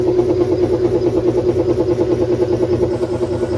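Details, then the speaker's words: GE stackable washer after drain fix, load of towel and rug rebalanced: smooth even spin with a soft swish about three times a second, no banging; normal spin. "So it's handling it a little bit better now that I kind of balanced the towel and the rug out."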